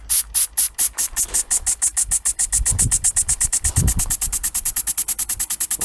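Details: Inherited antique model steam engine, cleaned up and run for the first time in many years, once the fire had built steam pressure: crisp, even chuffs about seven a second, steady with no misses. Running freely at a good speed.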